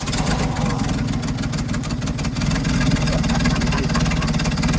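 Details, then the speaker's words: Old International Scout slant-six, not run properly in years, after ignition work on points, rotor, cap and coil (coil suspected weak): it idles steady with a fairly even low beat and a little rattle on top; running as it should. "I say that's a win, buddy. Listen to that thing purr."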